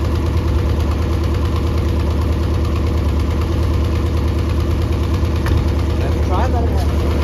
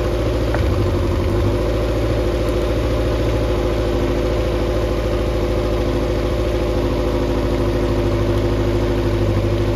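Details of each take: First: Mercury 90 hp outboard on a Shetland 535, run out of the water: steady low drone with an uneven, lumpy beat about two pulses a second; bottom cylinder not firing, spark plugs swapped to test. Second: Mercury 90 hp four-cylinder outboard on a Shetland 535, out of the water after the spark plug swap: steady low drone with an even beat at fast idle and no stumble; should now run on all four, previously three.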